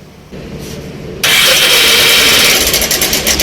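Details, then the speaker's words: Bajaj Pulsar 180 cc bike just started: loud, dry metallic clatter over the idle from a worn timing chain; tensioner to be checked and chain replaced. "इसमें आप सुनेंगे engine की जो sound है बहुत ही ज्यादा सुनने को मिल रहा है"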